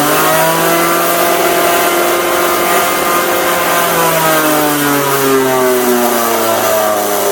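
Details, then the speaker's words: Italian Pegasus floor edge sander motor on test: whining tone sagging under rough rattling hiss, sparking at the dust port and then won't start; worn bearings and brushes, fix is new bearings and brushes. "right that sounds all kinds of bad it's not just brushes sounds like bearings as well"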